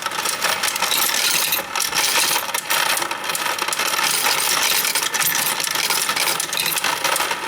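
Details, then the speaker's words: Royal Sovereign FS-44P coin sorter/counter running: steady, fast, bright clicking with rattling coins. This is the normal clicking of its anti-jam mechanism. "But again, you hear that clicking sound when it's running? Again, that's normal."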